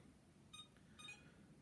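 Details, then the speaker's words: iLife V5 robot vacuum, a couple of days old, cleans fine but beeps while charging on its dock (it also tries to spin its brushes): two short high beeps about half a second apart; cause unknown. "maybe it's only when it's all in the cradle it does that thing but it's still not hearing right well at least I've got a workaround but I just wondering what oh no there it goes doing the same thing"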